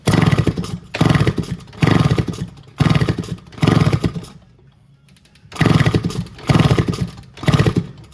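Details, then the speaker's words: 1974 Kawasaki MC1 motorcycle with a nest-blocked exhaust; repeated kicks give short sputtering bursts about once a second, each dying without the engine catching, sounds odd, won't start. "it okay it won't start but you can hear how funny it sounds"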